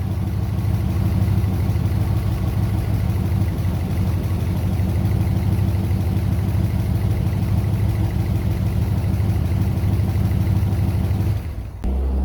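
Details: Original unrestored 1969 Chevrolet Corvette V8 with 66,000 miles, stored 17 years, first start after fuel system cleaning, new fuel filters, fresh fuel and a new battery: deep, steady idle for about eleven seconds without stumbling or misfires; healthy.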